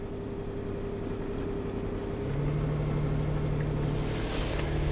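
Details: 2006 Nissan Pathfinder, coolant temperature sensor unplugged with substituted value 104: engine started, idles, then the note steps up midway and stays raised, an unprompted surge, possibly fuel-cut related, while the false coolant reading climbs.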